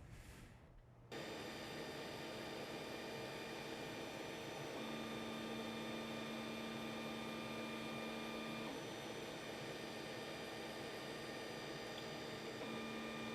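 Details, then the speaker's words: 3D printer before stepper dampeners installed, phone decibel app: quiet steady musical stepper whine over faint electrical hum as axes move, about 40 dB on X and Y; ordinary running noise. "as you can see as we bounce up in decibels we're only going at about 40 on the X&Y what I talk of course gets much louder"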